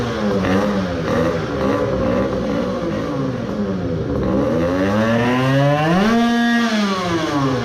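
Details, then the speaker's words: Modified 20 hp two-stroke moped engine with welded crankcase filler, resin main bearings being broken in, ran without coolant earlier: after 10 minutes idle, revving strained with revs dropping fast, then seized; main bearings suspected. "that happened after all I let it idle for 10 minutes and it was running well but I only had to rev it for like 5 times and I could hear it is struggling then it seized."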